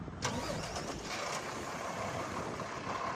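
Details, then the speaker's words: 2016 Kenworth T370 box truck, Paccar PX9 (Cummins ISL) 8.9 L 260 HP diesel, Allison 6-speed automatic, 226k miles: catches within a fraction of a second and settles to a steady, even run; healthy start, no misfire. "Truck starts right up. Drives real good."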